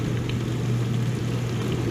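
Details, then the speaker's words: Whirlpool WDF330PAHB1 dishwasher that was not spraying water: after being taken apart and reassembled, owner unsure whether reconnecting electrical connections fixed it. Steady low motor hum under an even rush of spraying water. Normal wash pump operation, no blockage found. "I don't know what I did maybe just uh this connecting some electrical connections and putting it back in there did it maybe it's still not fixed it sounds like it is yeah"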